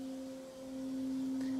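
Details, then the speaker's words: 6040 CNC, 1,500 W water-cooled spindle, still slow with paper tape on it: clean steady pure tone with one faint overtone, no roughness or grind; extra noise is from the paper, spindle spinning fine. "yeah that noise is from the paper but that's spinning fine"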